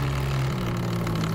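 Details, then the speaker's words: Electric dirt bike (Eride Pro SS) riding: loud, steady low drivetrain drone of constant pitch; after an overtight belt and chain rubbing the tire, owner suspects a damaged jackshaft and may see a wobble; not confirmed. "But I'm wondering if I, in that whole process with the chain rubbing and just being too tight, if I messed up the jack shaft. You hear it's pretty loud in"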